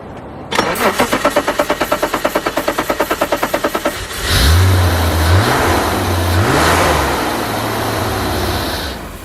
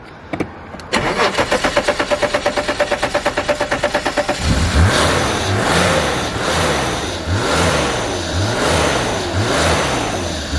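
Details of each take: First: Abandoned E34 BMW 535i, first start after sitting 12 years: several seconds of steady cranking, then fires and revs unevenly on starting fluid sprayed down the intake; fueling issue suspected, failed fuel pump. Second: Abandoned E34 BMW 535i, sat 12 years, fuel pump dead so run on starting fluid: about four seconds of cranking, then catches and revs rise and fall smoothly with no knocks or misses; very quiet, runs like a dream, a little smoky.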